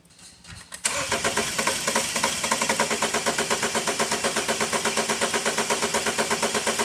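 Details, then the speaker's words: 2012 BMW 528 with the N20 four-cylinder, towed in with misfires on cylinders 1 and 3, cranking with injectors unplugged for a relative compression test: the starter spins evenly at about three pulses a second, and all cylinders, including 1 and 3, read about the same. "all right so it didn't sound too crazy and looks like all cylinders seem to be again relatively close to each other including cylinders one and three"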